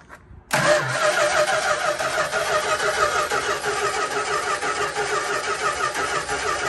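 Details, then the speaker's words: 1972 Dodge Tradesman camper van abandoned in a field 10 years, hot-wired with new starter relay, voltage regulator, ballast resistor and battery: engine cranks quickly and steadily on the starter but never fires; no fuel reaching it, so crank no start. "all right so after cranking and cranking and cranking it cranks a lot but it just wouldn't start um i wasn't getting any fuel"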